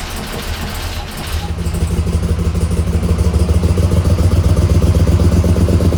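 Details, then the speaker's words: 1985 Monte Carlo SS with a cammed 6.0 LS, sat 5 years; after a fuel system rebuild with good cranking pressure (about 58 psi operating), it cranks, catches, then runs a low, choppy, uneven lope; injectors stuck and not firing cause a misfire. "Something is wrong. I suspect some injectors aren't firing."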